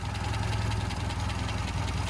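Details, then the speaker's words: 1970s original Mini Clubman estate with a 998 automatic and heavy torque converter, 19,000 miles, idling: low, even purr with no knocks or stumbles, a sweet, healthy idle. "look at the way that's running just purring the great big heavy torque converter these these idle very nicely"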